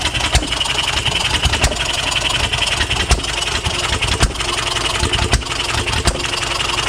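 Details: 1HP Fairbanks Morse Eclipse hit-and-miss farm engine, running for the first time in decades and getting dialed in: sharp single firing pops about once a second with quiet coasting strokes between; normal hit-and-miss running.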